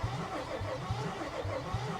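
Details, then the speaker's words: Salvage W221 Mercedes S550, oil level at the very bottom of the dipstick, cranked on a jump pack: starter drags the engine over with weak, irregular puffs and something pouring; compression sounds very bad, cause unconfirmed; uneven cranking. "oh no whoa what's that noise what is that noise there's something pouring and that compression was bad that sounded really really really bad"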